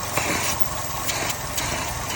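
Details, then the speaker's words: 2012–2018 Chevy Sonic 1.8L non-turbo Ecotec engine idling rough with the oil filler/dipstick open; steady hissing suction, far more crankcase vacuum than normal, can cause lean mixture and oil burning. Excessive crankcase vacuum. "that suction you hear that suction no wao no way it's supposed to"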